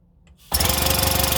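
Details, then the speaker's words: Classic Army HPA M132 airsoft microgun, after all air leaks were sealed, fired with no ammo: fast, even burst of sharp air pops through the barrel for about a second, no hiss between shots. Normal pneumatic firing cycle. "you can hear the air coming out of that firing through the barrel and good"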